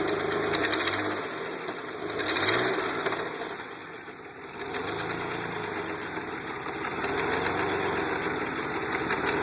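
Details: DeLorean VIN 4534 idling before installation of an aftermarket exhaust kit: light, quick ticking over a hissy exhaust note; exhaust leak suspected.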